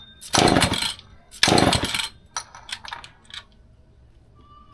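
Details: Old McCulloch Pro Mac 10-10 two-stroke chainsaw on 40:1 mix, first test run after full teardown and rebuild: two strong, clean throttle blips rising and falling crisply, then back toward steady idle; normal running.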